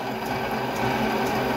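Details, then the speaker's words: Amateur-machinist old, well-used lathe drilling pins for a mini excavator (using cutting fluid) runs with a steady rough whirring and dry rattly chatter; worn, noisy machine, cause unclear. "bad sounds coming from away she's definitely a little old but she's got a few hours on her"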